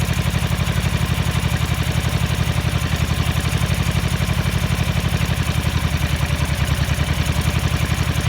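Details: 1983 Ducati MHR bevel-drive twin, 40mm Dellorto carburettors during balancing at relatively high idle: lumpy, loping idle with uneven beats, as if firing on one cylinder; carbs out of balance and need synchronising.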